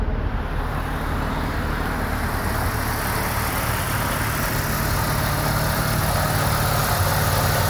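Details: 1990 Mazda RX7 rotary, rebuilt and about 2,200 miles, a couple of minutes after start following a radiator replacement: a smooth continuous drone at about 1100 rpm with no knocks or misses. A normal warm-up fast idle, expected to drop to about 750.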